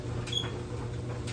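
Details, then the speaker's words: GE electric dryer with worn plastic drum glides making a horrible squeak: a high, sharp squeak about once a second over the dryer's low hum; drum glides to be replaced. "Today we are back with my GE electric dryer, and we're going to change the drum glides in it because this thing makes a horrible squeaking sound."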